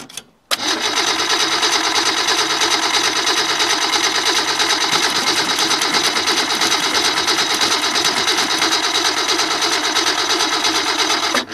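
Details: Ford Falcon started with a fresh battery and gas poured in: fires straight away and holds a smooth, even idle with steady rhythm and no misses or knocks; runs well.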